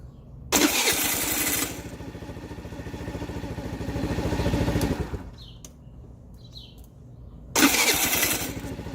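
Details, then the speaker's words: TaoTao 50cc scooter bought not running, kickstarter already replaced, fuel float found bad: starter cranks in bursts with rough, uneven whir dropping out; owner suspects starter Bendix slipping, unsure; intermittent starter slipping. "So basically, I think I still need to get possibly a new Bendix, just because, like, I mean, listen, just listen to that sound."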